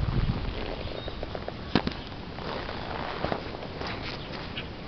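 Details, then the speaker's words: 1929 Henderson KJ four-cylinder motorcycle, magneto ignition, original carburetor with Harley air cleaner, prepared for 2012 Cannonball: loose low putter with scattered sharp pops, idling outdoors on its stand; normal idle. "I'll go ahead and put the camera down for a minute, see if I can fire it up and kind of see what it sounds like and hear it a little"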